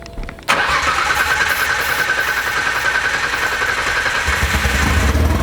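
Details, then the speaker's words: RB26 engine swapped into S13 on Haltech ECU, first start attempt after priming turbos and oil: starter cranks steadily about 3.5 pulses per second but never catches; cranking dry because fuel was removed during fuel pump work, no fuel in car. "Nothing. That sounds dry. We took out the fuel. There's no fuel in this car. We took it out when we did the fuel pump."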